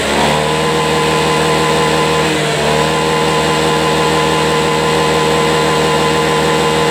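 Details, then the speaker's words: Honda Beat eSP scooter after hard-start and stumbling fix, fuel pressure 41 psi, TPS tightened, codes cleared and reset, kick-started with weak battery: steady, even high rev with a brief dip and clean recovery, no coughing or hesitation; normal revving. "Ini sudah normal kembali nih, Teman-teman."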